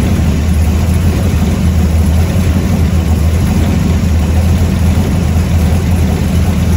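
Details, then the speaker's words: 1970 Ford F100 warming up at idle after a newly completed exhaust: a loud, deep, even burble with a steady lope and nothing clattering, a healthy V8 through free-flowing pipes; the alternator is separately not charging. "all right well the old trucks sounding pretty good i got my exhaust done"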